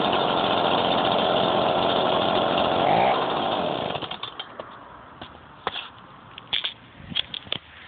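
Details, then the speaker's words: Stihl BG55 two-stroke blower cold-started with choke on, primed twice and throttle locked: fires on the first pull and buzzes at steady high revs for about four seconds before cutting out; a clean cold start. "I'm going to lock the throttle and see if that makes a difference in how it starts. So yeah, so here we go. Well, fired."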